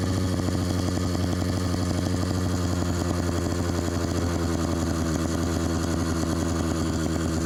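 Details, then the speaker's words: Bike fitted with LA Hover Bikes Phantom 85 two-stroke engine (MS460 piston): loud, steady fast buzz with no throttle; idle set too high, carburetor needs adjusting to turn it down. "We gotta do something about that idle though."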